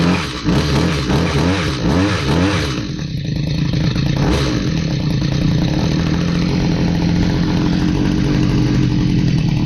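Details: Stihl HS45 hedge trimmer, long unused, two-stroke started after priming with fresh fuel and a new air filter following a customer tune-up: buzz surges and stumbles unevenly, then a ragged unsteady drone; runs poorly, needs more work.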